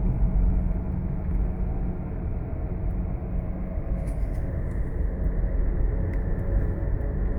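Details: Driving at cruising speed with bad front wheel bearings: steady low droning hum under the road rumble, no knocks or grinding; worn front wheel bearing hum.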